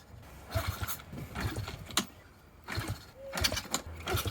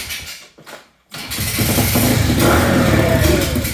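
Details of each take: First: Kick-start-only pit bike rebuilt after crash, no fuel reaching carburetor: repeated kickstart strokes about once a second, each a brief churn with no firing. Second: Pit bike rebuilt after crash (snapped frame), kickstarted after rear wheel alignment: after a couple of kicks the small single fires and settles into a steady, even popping idle; runs fine.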